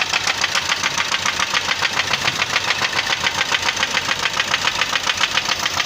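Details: Hyundai Creta engine idling with a sharp, steady metallic knock about three and a half times a second; engine knocking, and the engine is to be opened.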